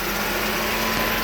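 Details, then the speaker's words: 2009 Dodge Journey idling after radiator replacement, with the coolant not yet hot. The electric cooling fan switches on: a steady whooshing hum with a faint whine over the quiet idle, operating normally. "There's the fan coming on, which is nice. I hope."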